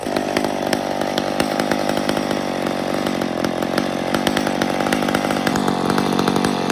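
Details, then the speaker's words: Older chainsaw at wide-open throttle: revs to a thin, sharp scream even after the high-speed jet was richened from its starting setting; high-speed mixture still lean. "Did you hear how that thing screamed just there? Yeah. I actually made it fatter than when it was. So that's interesting to me. That's a little bit scary. Yeah, that's the high jet."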